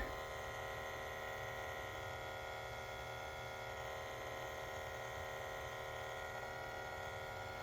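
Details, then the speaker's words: Honda CR-V parked hours with engine off, buzzing from the rear underneath; steady fixed-pitch electric buzz of the evap vacuum pump pulling vacuum on the fuel tank, a normal leak-check self-test, nothing to worry about. "Are you relieved that it's not a problem on your CRV? That weird buzzing noise coming from the back? It's nothing to worry about at all."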